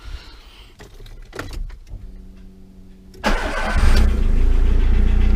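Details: 2010 VW Gol with EA111 engine falsely claimed rebuilt; catches after short crank and runs rough with fast tapping at idle, piston pin knock, plus head noise and oil pressure loss.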